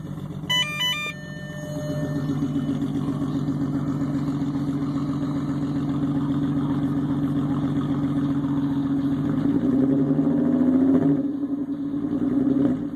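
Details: VR6 engine cranks and catches, then idles with an uneven, stumbling beat and occasional dropped pulses. Engine misfire.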